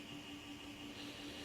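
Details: i3 540 mini-tower PC, about 5+ years old, at startup: a steady low whir with a faint high whine over a constant hum for the first couple of minutes, then normal. Cleaning the CPU fan and dust didn't help; source unclear.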